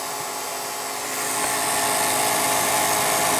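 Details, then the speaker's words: Restored Revere P-90 projector running: high, steady whirring whine rising slightly as it runs up; mechanism now much quieter, the motor making all the noise; loud motor whine. "so the the mechanism itself is much quieter um it's the motor that's making all the noise now"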